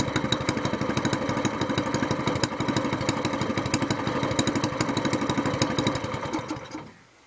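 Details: SPS longtail mud motor, small single-cylinder, newly built and just broken in (3-hour light-load break-in), still cold after first oil change to 10W-30 Royal Purple synthetic with BestLine treatment; steady quick putter, revving evenly and a little smoother, no misses or knocks; normal.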